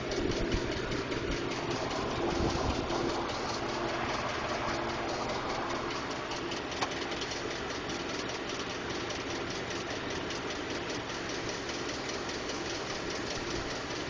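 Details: 2012 Ford F-150 5.0L V8 at idle: fast, light ticking, a couple per second, steady over the engine hum. Ford diagnosed it as normal but is working on a solution; source not identified.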